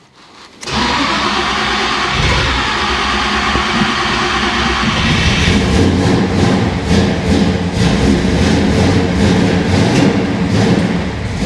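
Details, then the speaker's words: Chevrolet Monte Carlo V8, first start: it catches and runs rough and uneven only on gasoline poured in, then dies, with no fuel apparently coming from the tank; engine runs only on primed fuel, a fuel system issue. "It's got gas there. Probably just needs a whole bunch more, you know."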